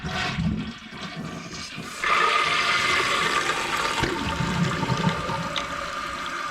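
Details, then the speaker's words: Toilet after replacing the fill valve, which had made a pulsating noise when flushing: a rushing, gurgling flush, then a steady, quiet refill hiss with no squeal. Normal flush and refill. "and that's how it's supposed to sound. So now the fill valve is filling up the tank, and we now have a essentially fixed toilet for only $10."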